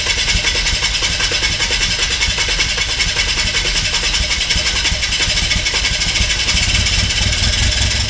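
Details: VW TDI diesel in 1950 Willys Wagon on Jeep Wrangler chassis, first start after swap: uneven, lumpy idle with irregular clatter, no steady rhythm; rough running, injection timing possibly off and later re-timed.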